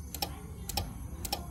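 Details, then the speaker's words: Old Jetmac III welder: sharp double clicks about twice a second while the unit and its LCD cut on and off, green light on; cause unknown. "Okey, aku rasakan dia bunyi tik tak tik tak tak tak tak tik tak tik tak tak tak tak tik. Okey, on. Okey, dia bunyi macam ni. Dia LCD dia on off."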